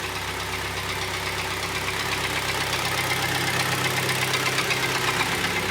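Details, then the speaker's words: Kia Sportage 2012, G4KD 2.0 petrol, 95,000 km, check-engine light on: idles with a steady, fast knock about four a second over a rough, clattery run; severe piston knock. "Как вы все слышите стучит стучит довольно таки хорошо"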